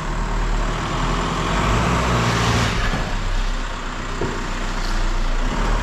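Smooth, steady idle with even low rumble and no knocks or misses over some outdoor background; engine sounds healthy.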